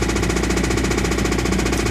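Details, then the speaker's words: 1985 Toyota MR2 at idle with the AC on, engine described as bad. A fast, steady hammering knock of roughly ten to twelve hits a second points to a serious engine knock; cause not confirmed. "I'm sure you can hear the knock it's pretty bad so that's why this car is so cheap"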